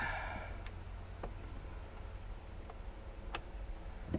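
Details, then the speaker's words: BMW 135i under restoration, first start attempt after belt and cooler work: key turned, only a few sharp single clicks about half a second apart, no cranking; battery dead. "that's not a good sign the battery's dead"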